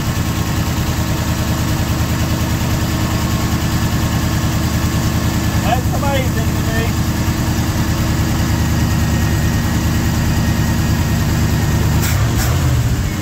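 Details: Old Ford FE 360 V8 truck that would not idle and lost oil pressure, started after several tries with some choke: deep, even rumble at steady fast idle, no stumble or miss; running smoothly.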